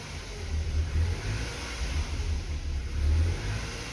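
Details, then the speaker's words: BMW E36 Compact 316i 1.9 engine: runs normally above 2000 rpm but won't hold idle once revs drop, surging and sagging about every second; fault occurs regardless of temperature, throttle needed to keep it running; rough idle. "vemos como por encima de las dos mil vueltas el comportamiento del motor es normal pero una vez que cae el coche no aguanta el ralentí"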